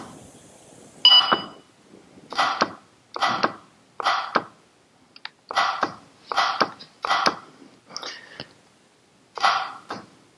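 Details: 2005 Acura MDX AC compressor on the bench, clutch powered with Power Probe and case grounded: sharp metallic clicks about every second as the clutch snaps in; normal compressor clutch engagement.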